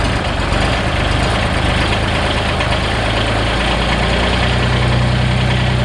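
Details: Kubota BX diesel tractor after installing a remote fuel filter and bleeding the fuel, with possible residual air in the injector pump. A loud, deep, dead-steady chug with no misses or knocks, idling to warm up. Normal smooth idle.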